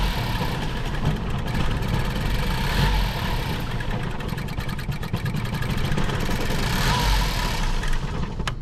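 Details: 2014 Ford Focus, 200,000+ miles, that won't drive due to bad idle and unresponsive throttle, right after spark plug replacement: uneven, lumpy idle with some surging; cause not yet found, throttle body cleaning and cylinder pressure testing planned.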